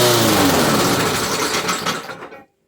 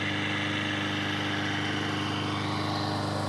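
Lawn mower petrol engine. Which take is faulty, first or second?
first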